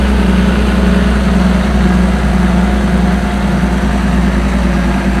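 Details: Combine (525) after the water pump was refitted, idling and about as warm as it will get: deep constant diesel hum, no knocks or rattles, with coolant bubbling as air works out; running smoothly.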